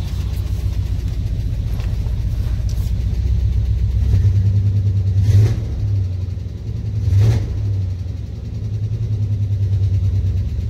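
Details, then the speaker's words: Truck after crank position sensor replacement, throttle blips from idle: deep steady idle with clean rises and falls, no stumble; running much better, fixed. "Yeah, I think that's quite a bit better."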